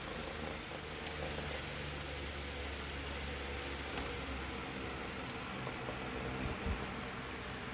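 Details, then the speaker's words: Room fan that spun too slowly and took long to reach speed, after oiling front and rear motor bearings, reassembled test run; smooth steady air rush over low even motor hum, no scraping or chatter; runs normally. "all right let's give her a test drive well super unsafe this way but it works real well"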